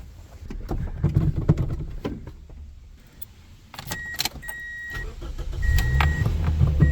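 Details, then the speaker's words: 2007 Saturn Ion 5-speed, 186 on the dash, started after the battery terminal was tightened: chimes and key rattles, then it cranks briefly, fires right up and settles into a low, even idle. Healthy start. "There it is. Fired right up. No problem."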